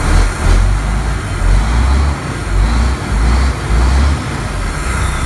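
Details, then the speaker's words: 1993 Ford Louisville L8000 diesel truck, first run after sitting about 11–13 years, oil pressure reading 80: deep steady rumble with gentle slow swell, no knocks or misses; normal idle. "Yeah? Yup. Oh, this thing's great. Oh, it runs. It actually runs good."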